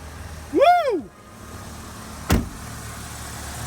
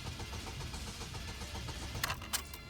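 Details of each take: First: Saturn in limp mode after ECU reset and rubber removed from the throttle blade: brief squeak and click, then quiet steady low idle with no misses, surges or knocks; engine runs healthy. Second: Saturn bought at auction cranks evenly with shimmed terminal but never catches, clicks near end; no start because the throttle blade was obstructed, not a battery issue.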